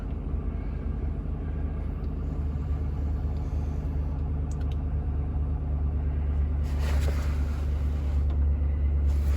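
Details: Chevy Avalanche after replacing a leaking fuel pump module, low fuel: smooth, steady low rumble holding an even beat with no misses, knocks or ticks; idling normally.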